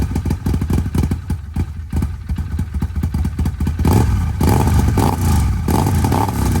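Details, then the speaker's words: Arctic Cat 1000X side-by-side after new starter and upgraded gear, metal shavings in lower end, old oil not yet drained, jumped from truck: quick regular cranking for about four seconds, then catches and runs unevenly; cranks and starts. "we got it hooked up to my truck we're going to see if it'll crank for the first time"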